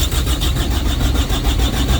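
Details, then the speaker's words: Carrier/Thermo King reefer unit diesel that ran out of fuel, refuelled and set to continuous mode: steady low starter churn that never fires or picks up speed; crank no start from lost fuel prime, bleeder valve and primer pump next. "she's trying and she did not start so now at this point i'm gonna put it to start stop and let's go up there and figure this trying to start one more time it's not gonna work"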